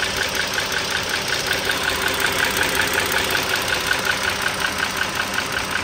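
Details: 2009 Dodge Journey SXT V6 (3.5 L stated, title says 3.6 L) idling, mic close to the engine: a steady, sharp, light tick about 160 a minute. Owner is pretty sure the rocker arm assembly (two rocker arms and shafts) needs replacing.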